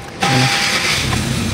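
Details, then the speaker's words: 2014 Hyundai Accent automatic, previously hard starting (needed about five tries) and shaking: after repair it starts on the first starter click and settles into a steady, even run; normal quick start. "Wala na siyang redondo e. Unang pitik pa lang ng starter andar na agad eh."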